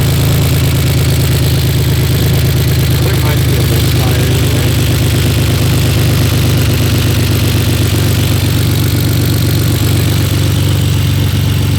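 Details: BMW E46 drift project car, just bought; rough idle with irregular chuffing beat stumbling against a low hum after clearing codes that included cylinder 6 misfire; new misfire not present when first driven out.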